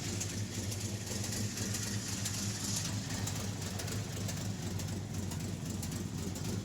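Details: REO M-35 truck with a blown head gasket, engine cold and idling: lumpy beat, a few firings then a gap where a cylinder should fire, skipping at least one cylinder, likely more; once warm it would not idle.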